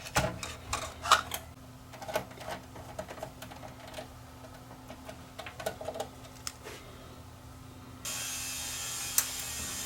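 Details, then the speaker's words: Tascam DA40 DAT recorder that showed Mecha Com Err, after fitting a replacement O-ring in place of an OEM belt: quiet motor whir with small clicks as tape threads, no stalling or grinding; loading works properly. "that part works okay tape appears to thread okay i press play it's reading the time code off the tape"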